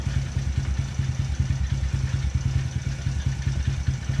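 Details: Taotao 125 at idle after Marvel Mystery Oil was added and the flywheel bolt checked: a steady low thump with a light metallic clatter on every beat; owner suspects the starter sticking.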